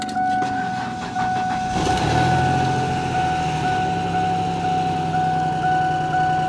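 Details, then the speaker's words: Salvage-auction V6 car just jump-started, idling; engine a little rattly and loud, the rattle not quieting, with an uneven rattle and a leaky exhaust note; small exhaust leak, good oil pressure, otherwise running smoothly. "engines a little rattly I'm hoping maybe that'll quiet down in a minute maybe not yeah she's a little loud little exhaust leak too"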